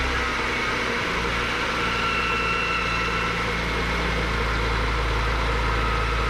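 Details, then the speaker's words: Cheap BMW E46 M3, first start after an oil change on an overfilled engine: steady rough idle with a thin high whir that eases after a few seconds. Very smoky, no misfires; accessory noise at idle, likely an accessory loosening up. "okay so making quite a few noises it's uh probably the accessories just making a lot of lot of noise but wow it actually runs that's insane"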